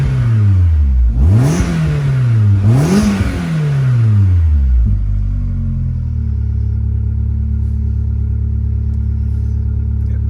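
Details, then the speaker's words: MG ZS 1.6, started straight away: two clean rev blips, then a smooth, steady idle with no knocks or misfires; runs really well. "good so they're really impressed with that it started straightaway which wasn't wasn't expected seems like she's running I'm really good"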